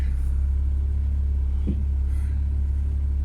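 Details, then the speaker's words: Ford Focus ST170 track car at idle with a reconditioned steering rack fitted: one dull clunk as the wheel is turned from centre. The reconditioned steering rack clunks and had to come back off. "This is my reconditioned steering rack. I'm in the centre position. I'm hoping you can hear this now, but listen to the clunk when I turn it from centre. It's bad, isn't it? And that's a reconditioned rack."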